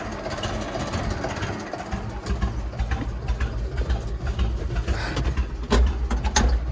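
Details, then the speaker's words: Owner's late-1990s or 2000s computerized tractor, which he suspects has computer issues: uneven, lumpy putt-putt idle, as if firing on only two cylinders, staying rough as the throttle opens and not revving up; misfiring rough idle. "It's like only firing on 2 cylinders or something. Like it's got a glitch. This is the throttle. Doesn't help it. Sounds like a really old putt-putt tractor or something."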